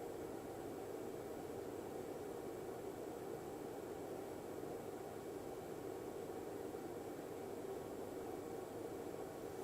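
A soft, steady rush of air with a faint high whine; an electronics cooling fan running quietly and normally.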